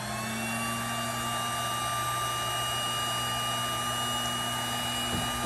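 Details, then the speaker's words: Snapmaker 2.0 power module's small rear cooling fan in anodized aluminum case, constant high-pitched whine and airy rush, about as loud as a household vacuum; fan to be replaced with quieter one; loud cooling fan noise. "this noise is being made by the little fan in the back right here that's cooling off this whole unit"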